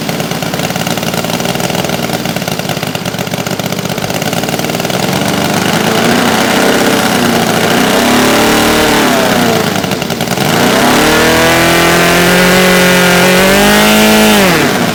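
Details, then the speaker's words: New Saito FG-60R3 3-cylinder radial in a Legend Hobby T-28 Trojan RC plane, first ground run, break-in run super rich for lubrication: steady throaty drone climbing smoothly as revs rise, then dropping evenly; healthy. "I got to run a bunch of fuel through it to break it in but uh running it super fat cuz that's what they they recommend to start just to help lubricate it"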